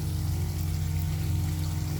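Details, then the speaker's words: Jabsco water pump on a Boston Whaler 380, newly replaced, tested with a hose: steady low drone with even pulse and rushing water, no stutter or tripped breakers, running properly. "I hear her running not blowing any Breakers should build pressure and turn off unless something's on"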